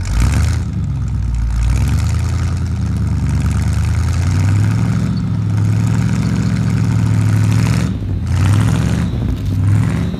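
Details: 1975 Ford F-100 V8, abandoned for 17 years, on its first start attempt: a deep, even idle rises cleanly on a few throttle blips and settles back without stumbling. Normal idle and revving.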